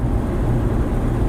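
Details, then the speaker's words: Ford Expedition 4WD road test after repairing a horrible drivetrain vibration, checked via the drive shafts and universal joints. At about 45 mph there is steady, even road rumble with no drone or vibration. The driveline is now smooth and quiet. "I am happy to report it runs amazing. No more noise, and I'm doing about 45, and you can see"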